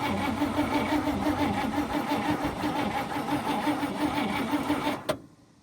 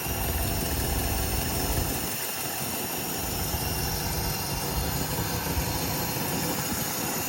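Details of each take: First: 1954 Cadillac, 12V battery borrowed from a 59, gas poured in: starter cranks steadily but engine won't start; possibly flooded, suspected no spark from damaged spark plug wires, one severed. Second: 1954 Cadillac V8 idling in neutral right after first start, fluids unchecked and nothing serviced; steady even smooth low rumble with no knocks or misses, runs really good.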